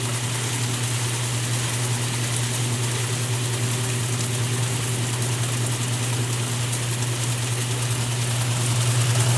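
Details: 1978 Maytag A408S and 1989 Maytag A482 top-loaders spinning during the Regular Wash cycle, one up to full speed and the other nearing spray rinse; steady low hum with a faint rhythmic swish of about three per second, no knocking or grinding; normal spin.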